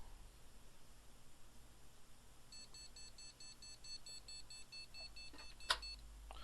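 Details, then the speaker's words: Gigabyte GA-Z77X-D3H motherboard with damaged socket pins, powered back on: rapid evenly spaced continuous beeps over room hum, won't boot; suspected no CPU detected, unconfirmed. "making a rapid continuous beep beep beep beep beep beep beep noise does that mean one of the voltage rails isn't running"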